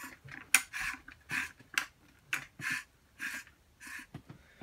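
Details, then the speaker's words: LG top-load washer gearcase/clutch assembly AEN73131403, about five years old: dry, gritty scraping with sharp clicks as it is turned by hand, from a badly rusted bearing, a common metal-grinding failure at 3–5 years. "you can hear the barrington all rusted up real bad looking"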